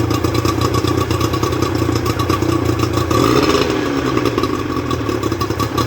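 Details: Rebuilt Johnson 50 HP two-stroke outboard on a Taylor 5.25 m boat, thermostat fitted: crisp even tickover with a brief rev and settle, no misses or knocks; running clean and healthy.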